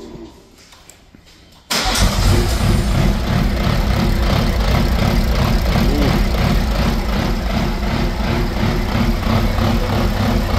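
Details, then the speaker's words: B58-swapped BMW E24 with a straight downpipe, first start on an SCS Delta standalone ECU: loud, uneven loping idle with transmission clatter that changes with the clutch pedal. Cause of the rough running not yet found. "Yeah, that's a secondary noise. But we still got to figure out why it's running like that."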